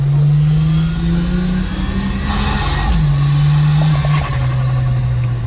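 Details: Holden VL with RB30 turbo engine on its first drive, bonnet off, big exhaust, on a private road: a hard pull with a steady low note that stumbles and drops midway under load. The engine is breaking up under acceleration, cause not yet known.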